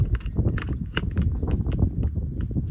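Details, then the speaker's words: 2003 Honda Element CV axle being twisted back and forth by hand on a cold day around 45°F: irregular dull clunks, a few each second; the worn CV joint has excessive play. "this is what it sounds like over here on the cv joint so you grab this and twist back forth"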